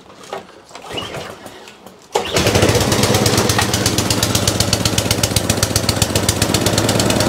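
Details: Atco Balmoral mower bought as spares or repair for not starting, now pull-started on throttle: catches at once and settles into a quick, even single-cylinder patter with no misses, running properly; the drive still does not work.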